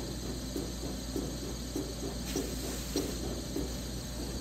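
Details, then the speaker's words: Seat and guide machine cutting a new valve seat in a fully ported 4500HP SMX cylinder head: light rhythmic scraping ticks about every 0.6 s as the cutter barely intersects the seat, which is harder than the head and slightly high. "It's interesting. If you've never seen how this stuff all works, it just goes in and intersects that, not by much. You can hear it cutting the seat"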